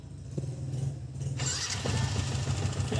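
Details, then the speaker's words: New-model Yamaha Vixion, owner complaint: rough engine and leaking block after a recent block replacement; it settles into a choppy, uneven idle with a harsh rattly edge; the mechanic suspects the cam chain (keteng), with the auto tensioner converted to manual. "Nyalakan Camat sangat kasar kalian [Musik] bisaar ini dugaan saya ada pada sentrik ya atau keteng biasa orang bilang"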